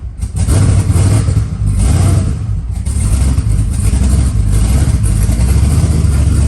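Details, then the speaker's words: Twin-turbo LS-swapped SN95 Mustang with Holley EFI, first start after cooling system fill: loud deep idle that lopes and surges unevenly instead of settling; fires right up but rough idle, needs tune work. "got a little tune work to do but she fires right up"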